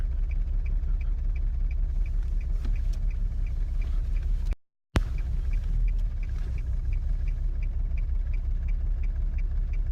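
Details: 2002 Nissan Altima 3.5 SE V6 drifting in Drive without throttle, whole car shaking. Low, heavy rumble with a faint tick about three times a second. Rough running, cause unclear.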